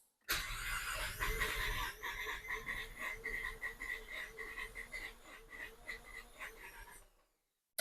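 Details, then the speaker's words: Barn-find Mazda RX-7 FC rotary cranked out of gear for its first start after sitting 10 or 11 years (last run 2016) on very old fuel; steady cranking about 2.5 beats a second with uneven catching thumps; close to firing but not running. "So, we're out of gear. We're on. Oh, we're close. It's thumping."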